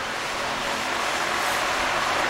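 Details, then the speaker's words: Freshly swapped engine at idle: steady, even airy hiss; owner suspects a vacuum leak and plans to fit a new hose. "It's going to be a vacuum leak. I'm going to get a new hose on there."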